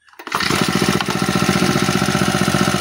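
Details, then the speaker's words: Honda G35X four-stroke brush cutter after tune-up, valve clearance set and carburetor tuned: starts on first pull and settles into a quick, steady, smooth idle. "Tingnan nyo one click lang ito mga bossing. 'Di ba? One click lang natin. Tapos napakaganda pa ng kanyang idle mga boss."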